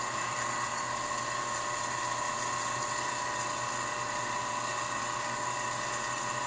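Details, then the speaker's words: Rebuilt Leybold Turbovac 150 turbomolecular pump, watercooled, on a sputtering chamber, starting from about 5 Pa: high, even multi-tone whine with no rattle or grinding as it accelerates. Slight shake only during the acceleration phase; normal spin-up. "it does shake a bit but uh I think it's only the acceleration part so basically when it goes up to speed it will switch to it will switch to normal from acceleration"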